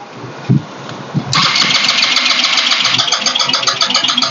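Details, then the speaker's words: GPX Drone scooter that won't start: the starter whirs steadily at about four pulses a second but the engine never fires; no spark at the plug and no fuel from the injector. The battery had been flat and was recharged, the OBD tester can't read the ECU, and the ECU is suspected. "หัวฉีดก็น้ำมันไม่ออกนะครับเบื้องต้นไฟไม่มาหัวฉีดไม่มานะครับสันนิฐานว่าเป็นกล่องนะครับ"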